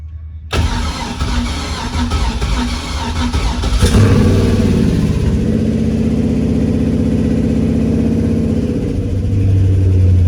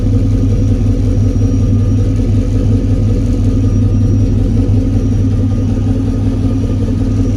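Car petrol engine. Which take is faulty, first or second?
first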